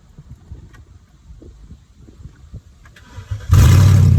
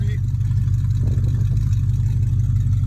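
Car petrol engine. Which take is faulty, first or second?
second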